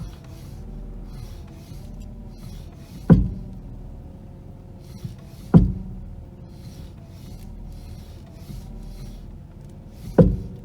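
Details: 1991 Mercedes R129 500SL, 38K miles, turning steering wheel left and right: three single heavy clunks a couple of seconds apart from the front steering components; side and cause not yet found.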